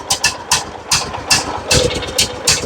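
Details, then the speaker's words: John Deere riding mower, Kohler Command engine, cheap aftermarket carburetor fitted, choke applied: ragged uneven sputtering bursts that won't settle, dumping too much fuel; running rich, flooding from faulty carburetor. "Dumping too much fuel or something here."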